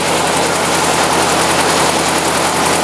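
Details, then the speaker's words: 1956 Ford NAA tractor, 134ci four-cylinder, just after Pertronix 1244A electronic ignition conversion replacing points, out of gear: even, steady idle with no stumbling, misfire or bogging; timing sounds good, smooth healthy idle. "Timing sounds good too. No bogging. Nice smooth idle."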